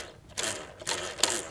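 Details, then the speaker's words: Magnavox console stereo record player turntable running: short bursts of high, scratchy ratcheting from the dry drive parts while the motor runs smoothly; drive mechanism needs cleaning and lubrication. "Okay, this is really dry. This sound is where the sound is coming from, though."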